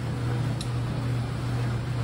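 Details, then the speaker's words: Samsung dryer that had been making noise, after replacing the rollers, idler pulley and belt: a steady, low, even hum from the tumbling drum with no thumps, squeal or scraping. It sounds much better than before. "so the dryers are repaired I want you to hear how it sounds it sounds a lot better than before [Music] I always say it purrs like a kitten"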